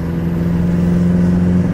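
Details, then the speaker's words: Golf GTI MK4 turbo under light driving after the fault code was cleared. Steady, even engine note with no stumbles or skips; running smoothly without misfire. "ah mano vai entender Talvez seja isso mesmo ó o carro mano tá perfeito perfeito perfeito não tem o que falar"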